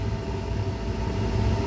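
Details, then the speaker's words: 2006 Chevy Colorado 2.8L, new blower motor and resistor, tested up to speed four; smooth steady hum and even whir, no rattle or bearing growl. The old blower's worn bearing caused noise. Normal blower operation after replacement. "there she goes and she sounds good guys"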